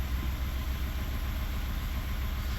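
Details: 2019 Ford F150 3.5-liter V6 low idle on port injection: uneven stumbling pulse, P0304 cylinder 4 misfire, likely leaky cylinder 4 port fuel injector since it runs fine on direct injection only; new coil and plug didn't fix it.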